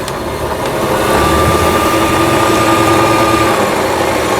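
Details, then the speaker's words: Brother VX1110 sewing machine, unused for about 10 years, after repair of the feed dog unit and shaft gears; pattern dial still stiff, small pulley gear issue: bobbin winder alone runs with a light steady whir, no grinding; smooth. "이제 북실을 감기 위해서 위실을 끼우고 여기다가 위실을 끼워요. 그 다음에 북실 감기 안내 장치를 통과해서 우측으로 밀었습니다. 보시는 것처럼 아주 부드럽게 북실 감기 장치만 작동되는 것을 보실 수가 있겠습니다."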